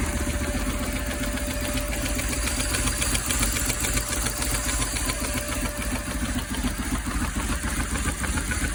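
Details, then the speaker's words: 1995 BMW R1100 GS boxer twin idling in neutral after head gasket replacement for oil leak and exhaust-side smoke: even, steady idle pulsing three to four times a second with no knocks or misses. Normal idle, no obvious oil leaks. "right over sounding pretty sweet no big obvious oil leaks i'll let it cool off and then i'll recheck the oil level"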